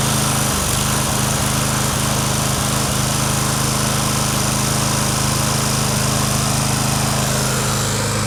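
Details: Lawn Boy push mower, just running again after a carb clean, with the handle released: the engine keeps running with a harsh high screech and won't shut off until the mower is tipped further over.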